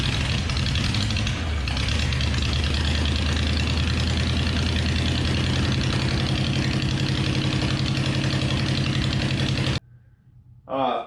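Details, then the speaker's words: 1956 Chevrolet tow truck, abandoned for years, cranking after connections were cleaned and the cylinders lubricated; the V8 gives a fast, even starter churn at about four beats a second with no dragging or slowing, cranking strongly and freely. "we did have it cranking better than did you hear it over here it is absolutely ripping now yeah well how couldn't it be it's not trying to tear its back end off with good connections and lubrication in the cylinders"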